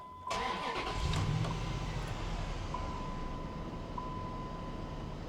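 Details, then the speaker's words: Dodge Ram 1500 that arrived with almost no coolant (owner doubts a head gasket, since the oil was not milky): quick crank, catches right away into a smooth, quiet, even idle with no ticks or knocks; normal start and idle. "Because she sounds good. I mean, she really, really does."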